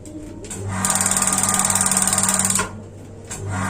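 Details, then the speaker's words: Paloma gas water heater that won't ignite: rapid even igniter ticking, about fifteen a second, stops within two seconds and the burner shuts off; torn diaphragm moves too little to reach the second microswitch, so membrane replacement is needed. "Ya sudah sangat jauh di bawah kalau saya taruh di sini tadi ini sudah knock nomor 4 ya karena tidak sampai menonjol ini gerakan dari membran Tadi hanya sedikit tidak sampai mengenai Microsoft kedua dan tidak sampai penunjuk lagi tadi di sini"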